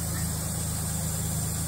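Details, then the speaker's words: 2002 Ford Ranger Edge 4x4 4.0 V6 at 92k miles, after taping a cracked vacuum tube near the throttle position sensor and air intake: low, even idle with no hunting or lope; normal smooth idle, rough idle fixed. "guys she is puring not loping at all so there you go listen to that that's perfect"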